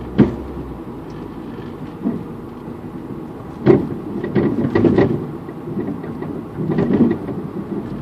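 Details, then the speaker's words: Mazda Protege rear suspension while driving: scattered dull clunks and thumps in uneven bursts, sounding like something breaking; owner suspects a rear strut/shock. Squeaking also appeared when braking; appeared suddenly overnight. "it sounds like a strut I'll try and make the sound again but oh my God sounds like something's honestly breaking off"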